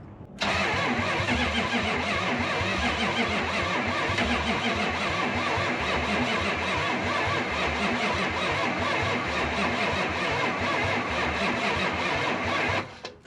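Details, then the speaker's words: 1972 Chrysler Newport with swapped 440 big-block V8, sat since 2003, carburetor primed with oil-gas mix: steady unbroken cranking about twelve seconds, never catches; positive battery terminal very hot, indicating a poor battery connection. "Positive terminal is real hot. Usually indicates a bad connection."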